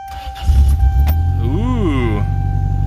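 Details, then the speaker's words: Toyota Previa just reassembled after an oil-leak overhaul, started without throttle: loud, deep idle rumble with a raw, unmuffled edge from a large exhaust leak at the rear. Exhaust leak. "now you can clearly hear the massive exhaust leak going on that is from back here"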